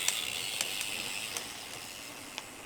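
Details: New Shimano XT M8110 12-speed Micro Spline rear hub giving a few sharp, dry, high-pitched creaks and ticks at irregular intervals; freehub creaking, usually easily solved; under-greased freehub.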